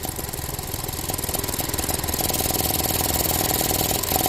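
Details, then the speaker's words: Ford Transit Connect that dies randomly, cold and still warming up: fast even ticking, three or four a second, over a steady idle as the weak purge valve sticks open when it shouldn't be on; needs replacement. "the valve is weak it's no good it needs to be replaced that's one way how you identify a purge valve needs to be replaced"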